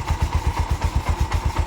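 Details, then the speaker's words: Bajaj BS4 motorcycle engine, restored about four months earlier with new bore, restarted: low, even thumping idle with no knock or rattle, vibration correct; earlier suspected connecting-rod noise on light throttle; normal idle. "Correct sound ಇದೆ bore ಹೊಸದು ಹಾಕಿಬಿಟ್ಟಿದೀನಿ"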